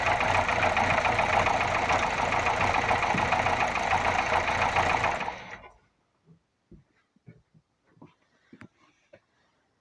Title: Toyota Corolla 1zzfe стук в двигателе.